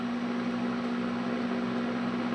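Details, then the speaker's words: Old GE Vortalex fan on low speed after lubrication: smooth, steady hum with an even low tone and no rattles or scraping, with slow, smooth oscillation; the motor is running cleanly and freely. "there she goes. Oscillates like a dream. This is the low speed on the Vortalex, but it's just, boy, it just puts out beautiful stream of air and a nice slow oscillation."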